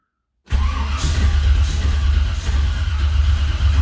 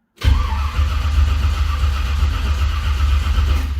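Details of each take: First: 1978 Ford Courier with new HEI ignition, carb dry after a spritz of brake clean had fired it, timing likely a hair retarded: starter churns steadily for several seconds but never catches; cranking without starting, no fuel. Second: 1978 Ford Courier with a new HEI ignition module and replaced connector, carb empty with no fuel: steady, even starter cranking with a low, regular churn and no clatter or grinding; engine turns over freely and sounds healthy.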